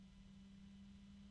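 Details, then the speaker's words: Arctic PC case fan, compared with a Noctua: noisy from the start, low-pitched whir with an unexpected medium, almost metallic tone riding over it; abnormal fan noise. "it's noisy from the start there's an odd noise that I did not expect to hear it's a medium tone almost metallic the pitch of the fan itself is low"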